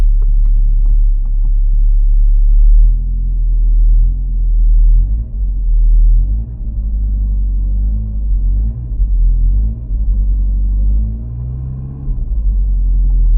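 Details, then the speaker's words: 1994 VW Golf 3 Variant just after starting on a rebuilt fuel pump: deep steady idle, smooth low rumble with small speed wavers, no misses or knocks; pump and fuel gauge working, normal idle. "I mean, it started. The fuel pump is working, obviously, because the car is running."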